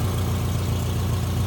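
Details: 2009 Subaru Forester AWD flat-four automatic, 34 degrees out, rear main seal previously replaced by seller: steady, low, even idle with no knocks, ticks or hunting; normal idle.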